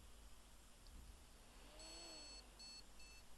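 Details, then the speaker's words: Car-boot motherboard powered through a current-limiting light bulb with no RAM fitted: short bright electronic beeps in a repeating pattern, the no-memory warning showing the board is alive; no-RAM POST beep code. "yeah did you hear that that's a good sign that's a very good sign so find some ram"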